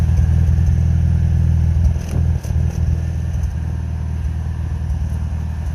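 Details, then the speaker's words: 1970 Honda N600 microcar warming up after starting, with a little smoke; the fuel mixture may need adjusting. Steady low rumble with an even pulse of about three beats a second and no knocks or misses: runs healthy. "Yeah, yeehaw, she runs. That's awesome."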